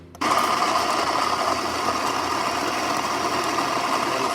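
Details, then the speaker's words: Baratza Vario coffee grinder after recalibration for grinding only fine, running on a coarse setting: even, steady motor hum with a smooth grinding rush and no rattles or labouring; grinder working normally. "So we only want to adjust the grind while the machine's running, so we'll fire it up again."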